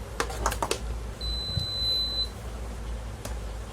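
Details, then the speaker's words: Induction stove with a faulty power button that must be pressed long and hard: button clicks, then one sustained high beep of about a second while the stove still fails to switch on; the beep keeps sounding continuously. "ரொம்ப force அப்படி அமைக்கி press பண்ணாலும் இந்த beep sound வந்து கண்டினியூஸாக கேட்டுகிட்டே இருக்குது."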